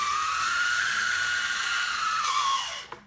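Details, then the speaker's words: Old Life-Like model locomotive with a three-pole motor, run after long storage: a piercing high squeal that wavers in pitch, then dies away as it coasts down. Bad lubricant suspected. "it does run I'm gonna guess it has bad lubricant in it cuz it sounds like somebody screaming"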